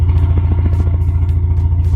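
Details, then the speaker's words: Four-cylinder "Bavarian" car abandoned for 5 years: it now gives a steady, even low rumble with a regular beat and no stumbles. It suddenly started running better, seemingly on all four, without any repair, apparently fixing itself. "Oh, it's all of a sudden started running better. I think that's running on four cylinders. Oh, it wants to live."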